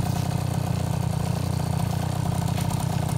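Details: 2004 KTM 50cc Mini Adventure two-stroke after piston ring replacement, new gaskets, carburetor clean, with upgraded polished exhaust: even low burble with a steady, unbroken beat and no rattles or stumbles; normal idle.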